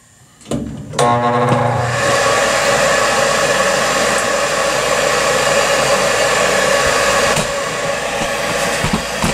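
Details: York furnace after repair for four-red-flash fault: brief start-up clatter settles into a steady, even rushing hum with no cut-outs; ran about half an hour without shutting down, problem fixed.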